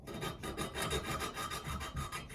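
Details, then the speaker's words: Yamaha Virago 535 valve lapping, coarse paste on the valve and a suction stick twirled between the palms: steady back-and-forth gritty rasp about four strokes a second, even and coarse. The paste is still cutting the seat. "And then you twiddle it like you're trying to light a fire. You'll hear the tone of the noise change. When you hear it's not cutting as well as it was, inspect it, add more paste until you get to the point where you think, oh, I'm nearly there."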